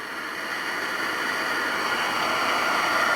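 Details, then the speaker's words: Hornby G100 live steam Stephenson's Rocket model after repairs, gas burner being turned up slowly at steam-up: a smooth, steady hissing roar with no popping or sputter and a blue flame, good combustion. "i hope you can perhaps hear a little bit of a roar not going to go too mad let's just get some let's just get this going a bit more okay that sounds good nice blue flame through there so we've got good combustion"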